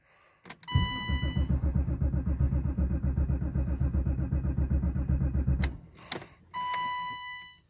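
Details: 1990 BMW 735iL (E32) in snow: rapid even clicking about four times a second for five seconds, starter clicks but engine never cranks.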